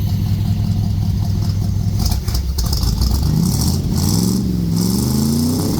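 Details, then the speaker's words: 1964 Chevrolet Suburban 283 small-block V8 after loose crank pulley fix: idle then a couple of clean throttle blips, pitch rising and falling smoothly without misfire or knock; runs good. "You know, that little 283 runs good."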